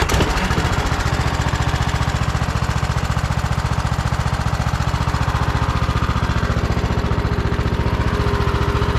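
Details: Troy-Bilt Bronco riding tractor with Kohler Courage engine, unstarted for over a year, after fitting a Walbro carburetor, new spark plug, fresh fuel and blown-out lines: strong, even low thumping about three beats a second, steady, no stumbles; idles healthy.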